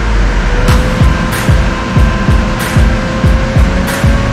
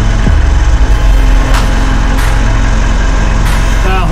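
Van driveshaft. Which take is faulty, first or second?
second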